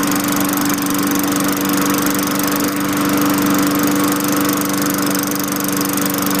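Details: 2003 Craftsman 22" mulcher, Tecumseh 4.5HP engine 143.034502, running after fitting a replacement LEV 100-115 carburetor: steady, even drone with firm tone, no surging or misses, under governor control. Normal running.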